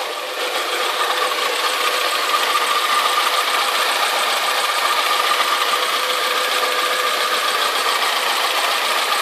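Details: Alfa Romeo 156 2.0 Twin Spark at idle after new exhaust manifold, metal gasket, refitted manifold bracket and downpipe-to-cat bolts enlarged to M10: quieter, but a lighter uneven pinking tick remains; cause unclear.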